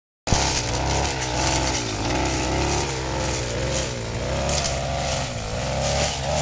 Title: Ada yang tau suara mesin rumput yang ngorok